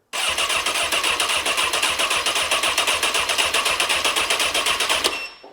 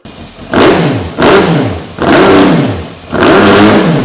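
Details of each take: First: 2003 Honda CBR954RR, wrecked and sat outside 15 years, starter solenoid jumped directly with no key power: fast even starter chatter about four beats a second for five seconds, engine turning but never catching; cranks, no start. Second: 2003 Honda CBR954RR, sat outside 15 years, run again after reseating the unseated part that had caused flames: four clean throttle blips rising smoothly and falling evenly, no misfire or popping, tach rising; healthy revving.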